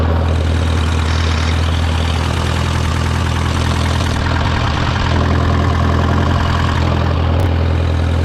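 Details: Case VAC tractor after an aftermarket water pump was fitted, warming up with the gauge near 20–30°C and coolant flowing; it had earlier overheated after a coolant change. A deep, even idle holding a constant note with no knocks or misses: a normal idle.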